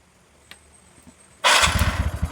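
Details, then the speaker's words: TVS Ntorq 125 BS4 scooter with hard morning starting and an auto choke not working, self-started with the engine temperature sensor wire unplugged: near silence, then it catches at once and settles into an even putter; temperature sensor suspected faulty. "ഈ സെൻസറിൽ നിന്ന് wire ഊരി വിട്ടു ഇനി ഇത് work ചെയ്യണം self അടിക്കുമ്പോ self അടിച്ചു നോക്കാം കേറി അകത്ത കേറി കണ്ടോ വർക്ക് ചെയ്യുന്ന"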